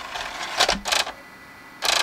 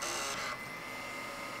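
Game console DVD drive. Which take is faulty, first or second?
first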